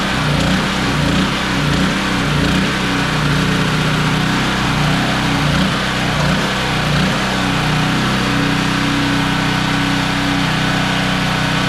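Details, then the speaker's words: Generac GP3250 generator, unused for a couple years, after ultrasonic carburetor cleaning: steady even drone, no surging or hunting, runs smoothly; fuel seen leaking from petcock, to be replaced – normal running. "so this thing's now running good"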